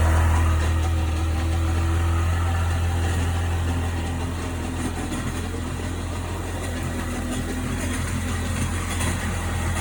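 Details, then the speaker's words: 1998 Sea-Doo GS 720 personal watercraft at idle: steady low drone with uneven pulsing about four beats a second; owner asking what the strange noise is, cause unknown. "So what the hell is that noise? Any help's appreciated."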